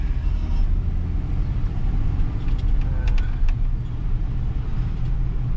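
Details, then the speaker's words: 1996 Ford F-150 4.9L on a test drive after overdue maintenance: deep engine rumble under load with tinny clattering bursts; the exhaust rattles badly and needs fixing. Exhaust rattle. "rattles like crazy. That's definitely something that needs to get taken care of."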